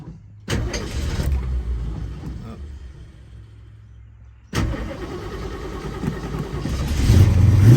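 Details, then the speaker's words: Restored numbers-matching 1970 Ford Mustang Boss 302, original carburetor, in neutral: cranks briefly and fires straight up into a steady, deep idle, then pulls up cleanly on a blip; healthy cold start. "Cool natured, fires right up."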